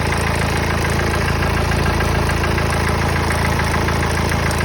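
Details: Mercedes OM651 diesel at idle: heavy, low idle with a regular knocking pulse of roughly 200 per minute over the clatter; abnormal idle noise of unknown cause.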